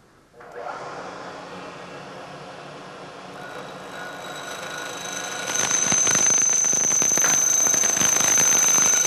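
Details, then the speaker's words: Milling machine cutting a long, thin part clamped in the vise: cut starts fairly clean, then a shrill squeal grows louder toward the end where the part is cantilevered out of the jaws; chatter from overhang vibration. "this cut was proceeding pretty well but as we get out towards the end of the part that is candle levered out of the Jaws you can hear more and more vibration and you can imagine that that gets worse and worse as the part gets longer and longer"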